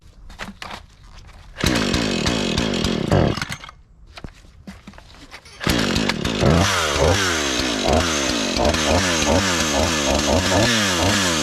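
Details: Husqvarna 435 X-Torq chainsaw, reassembled after freeing a stuck chain brake, catches after a couple of tries, then revs and settles into a steady, even run, finally staying on after being run a bit; sounds healthy.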